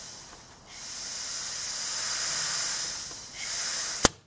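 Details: Cylinder leak-down test on an engine suspected of a blown head gasket, compressed air fed into cylinder 1 through the spark plug well: a steady loud hiss of escaping air, ending in a sharp click; leakage source unconfirmed, valves thought closed.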